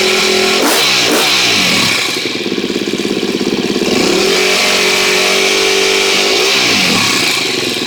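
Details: 2013 KTM 250 EXC-F after valve clearance check and Dirt Tricks cam chain tensioner install, first start: single cylinder fires, blips cleanly and settles to an even, crisp idle with no chain rattle or ticking; sounds healthy so far.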